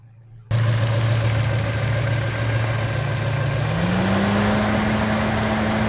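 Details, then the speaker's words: 1986 Porsche 944 Turbo, 2.5-litre turbocharged engine rated at 217 hp, about 125,900 miles, recorded close to the engine with the hood open: a smooth, even idle whose pitch steps up slightly after a few seconds, a healthy warm idle. "So here we go, getting in close to the engine here at idle."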